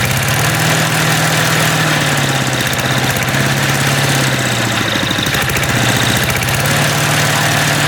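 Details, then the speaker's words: MTD walk-behind lawn vacuum blower, unused about three years, dislikes throttling with choke off: loud, harsh running with the engine note wandering up and down instead of holding; rough, uneven running after storage. "Even though this this thing sounds like it's about to detonate itself."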